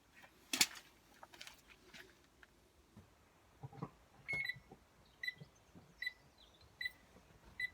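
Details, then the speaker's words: Citroen C1 with a newly installed DIY reversing sensor kit, in reverse with the owner sat next to the car. Clear, evenly spaced high beeps about one a second; sensors detecting him and working properly. "working oh yeah so as you can hear now the detectors are picking me up sat right next to the car the lights on you can hear the beeping it's all good so they're installed they're working quite well"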